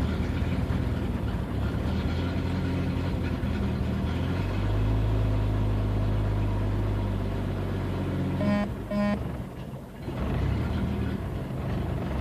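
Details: 1992 Jeep 4.0L six at idle: steady low rumble that dips and stumbles briefly before recovering, an intermittent rough idle of unknown cause. Fuel pump recently replaced, fuel pressure a constant 10 psi if the gauge is correct, ballast 10.5 V; bypassing it and swapping MAP and AIT sensors changed nothing.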